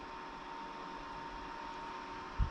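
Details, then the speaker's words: Titan TTC-SC60(B)+ circulation fan in an RV, stepped from 80% to max speed: steady even airflow whoosh with faint constant tone, no rattle or ticking; normal fan operation. "And then here's max. That's I mean, that's that's moving a fair amount of air."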